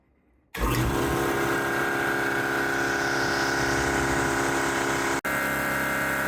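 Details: New Craftsman air compressor rated 175 psi max, fitted with new regulator, shutoff valve and hose reel for a plasma cutter: starts and runs with an even motor hum and steady pumping beat filling the tank, no knocks or stalls; normal.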